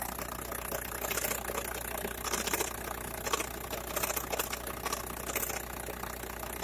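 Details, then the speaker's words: VW Bora/Golf 4 1.9 TDI (AJM): a loose, uneven clattering rattle over a quiet diesel idle. It stops when the clutch is pressed and while driving; worn dual-mass flywheel rattle at idle, with a new LuK clutch kit to be fitted. "тарахтит выжимаешь сцепление не тарахтит ходу не тарахтит"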